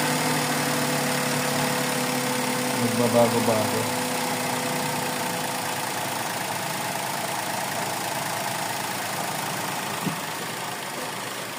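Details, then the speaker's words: Suzuki Celerio with engine misfire, after PCV valve and grommet replacement, aircon off: quiet idle that hunts, pitch rising and falling before settling; unstable idle persists, cause still unknown. "Yun ang hindi mawawala wala sa kanya ung pabago-bago naan"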